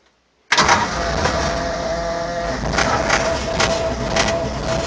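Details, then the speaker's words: 1942 Ford 1.5-ton ex-military truck, rebuilt motor and carburetor, new aftermarket ignition, rebuilt water pump; cold start after sitting a week, on choke. Catches at once and settles into a steady, slightly fast cold idle with an even exhaust beat, slightly cold-natured but healthy. "Push the choke in a little bit. It's a little bit cold natured, but"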